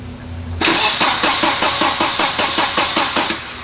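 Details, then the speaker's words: Volvo 940 wagon no-start after stranding: steady starter churning about two and a half beats a second, engine never catches; fuel pump heard priming, cause not yet found. "well i can hear the fuel pump firing up so that's good now i gotta figure out what's wrong"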